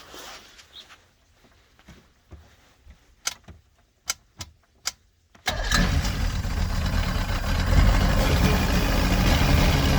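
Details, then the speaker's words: 1989 Bayliner Capri 18ft with a Chrysler Force 125hp engine and L drive, first start after replacing the head gasket, impeller and missing thermostat, probably on old gas, in cold weather. A few clicks, then a steady, even run with no knocks or misses. It smokes from old oil but sounds healthy. "she fires up she smokes that's all the uh clogging oil in it so it's going to it's going to smoke for a little bit"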